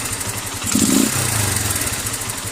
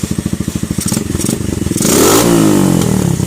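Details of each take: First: Keeway CR152 with a newly installed Nibbi 28mm carburetor on the stock airbox, needle clip in position 5: a quick throttle blip, then the thump drops straight back to a steady idle without hanging, so the idle is set correctly. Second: Keeway CR152 single-cylinder motorcycle, stock untouched jet with bullet pipe: steady thumping idle, then sharp cracks and pops from the pipe as throttle opens; constant backfiring.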